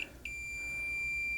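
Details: Marantz 2245 receiver, multimeter diode test on the bridge rectifier after an odd positive filter capacitor reading: steady high beep over a second; shorted bridge rectifier on the positive rail.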